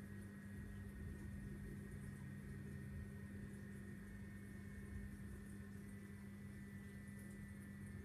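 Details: Vortech MP10 QuietDrive pump after a month of use: steady low hum with a constant higher whine over a rough, gravelly drone, like a diesel engine; far too loud for a quiet drive motor, cause unknown.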